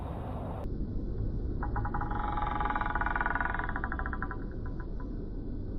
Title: Yarha 2 Squeaking sound